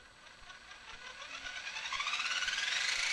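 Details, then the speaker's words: Tamiya CC-01 RC chassis after replacing the front wheel bearings with ball bearings: a thin whir rises smoothly as the electric motor spins the wheels up, no grinding or rattle, smoother and less wobbly; successful repair. "smoother and less giggling very nice successful repair"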